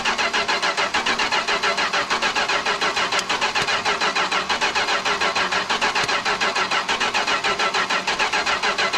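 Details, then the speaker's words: Carbureted 440 big-block V8 from a 1974 Chrysler New Yorker being revived after sitting, choked with a screwdriver: a steady, fast starter chug of about three beats a second that never catches over long cranking without oil pressure, a hard start. "We've been cranking it so much without oil pressure. Crank it till it starts."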